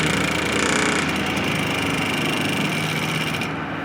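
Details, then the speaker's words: Water pump in a Land Rover Defender overlander water system with a 15 L boiler, after the faulty internal pressure switch was dealt with: the pump whirs steadily, then cuts off cleanly as pressure builds, and the system works as designed. "the bump stops. Perfect! So it was the damn pressure switch not the system itself."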